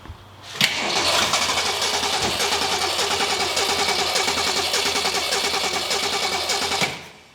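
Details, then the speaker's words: 1966 Ford Mustang straight six with mechanical fuel pump, first start attempt, not in gear: steady quick cranking about three and a half turns a second for six seconds, never fires; carburetor later found bad and replaced. Crank no start, fuel starvation. "it really sounds like it wants to go straight or healthy yeah let's spray some thing in there pour some gas in there and try it"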